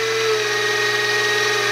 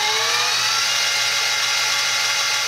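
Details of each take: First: X2 mini-mill (CX605) in high range after repositioning the motor, redistributing grease and adding O-ring dampers, screws tightened: steady high whirring from the gears at constant speed, even, no knocking or chatter; gear mesh noticeably quieter, maybe a bit quieter than a vacuum cleaner. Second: X2 mini-mill (CX605) with stock gearing: whine climbs as spindle speed rises from low rpm, then holds as a steady buzzy singing like a loud sewing machine; gear mesh noise.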